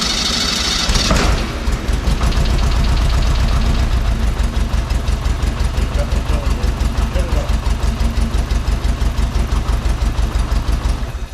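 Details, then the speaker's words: VW Beetle engine restarted after about a month down, fresh oil added, no fuel in system; catches and runs lumpy and uneven, stumbling about three pulses a second; misfire from incorrectly routed plug wires (firing order), first suspected flooded cylinder. "I think I just have a flooded cylinder but let's just check the plug wires real quick"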